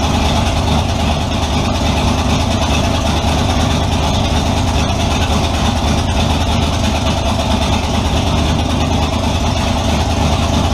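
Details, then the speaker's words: 350 small-block V8 in Model A, hydraulic roller cam, twin Edelbrock 600 cfm carbs on tunnel ram, after tuning: strong, even rumble, revs cleanly without the earlier bog; normal running, idle mixture still needs tuning. "oh well that definitely seemed to improve it over what it was doing before"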